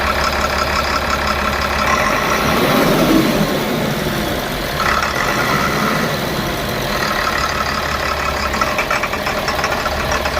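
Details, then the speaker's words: Tata BS4 diesel stalling under passenger load with black smoke; rough idle with uneven knocking about three per second over loud clatter; engine knock and misfire from burnt injector wiring harness, new wiring being made. "Race पूरी ले रही है मगर धुआ दे रही है गाड़ी और आवाज बहुत गंदा कर रही"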